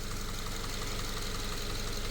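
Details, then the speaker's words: Subaru FB non-turbo engine after a no-oil-pressure repair following an oil change: steady even low idle, smooth regular pulse, no knock or tick. Sounds healthy, though long-term outcome is uncertain. "so we might we'll see we'll see what happens but it sounds pretty damn healthy"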